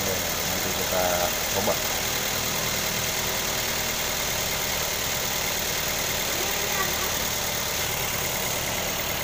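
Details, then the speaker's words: 2012 Toyota Avanza Veloz at idle just after starting, with an HCS-modified Pertamax Turbo vapor canister fitted; even, unbroken idle with no misses, knocks or rattles, soft hiss over it; engine already smooth, sounds pleasant; normal idle. "memang dasarnya mesinnya udah halus ya, kedengarannya enak, halus, merdu."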